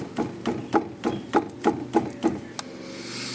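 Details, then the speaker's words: 1971 VW Super Beetle rear wheel rocked by hand after left drive shaft CV boot replacement: eight hollow knocks about three per second showing play; outer bearings brand new, sagging trailing arms suspected. "that's my outer uh bearings they're brand new the culprit trailing arms they're kind of sagging around letting room in there"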